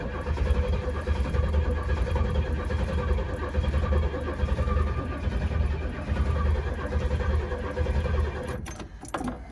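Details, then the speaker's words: 1967 Pontiac GTO V8 cranking with Quadrajet float bowl cracked and empty: steady cranking without catching, faint clicking from ignition coil arcing in the back. "If you can hear that clicking noise, that's the coil arcing in the back. It didn't pump enough fuel in to fill the float bowl yet,"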